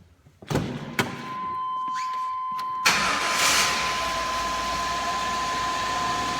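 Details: 2000 Chevy K2500, 5.7 Vortec with CSI injection, after no-start repair with distributor reinstalled: a few clicks, then catches first try near three seconds and settles into smooth, even idle.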